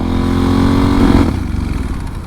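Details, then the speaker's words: Kawasaki Super Sherpa with rebuilt forks, ridden on the highway after about 70–72 mph: the engine note holds, then sags and goes ragged as all power is lost under load; apparently out of gas. "let's uh see if we don't get a ticket on enough there's no power at all"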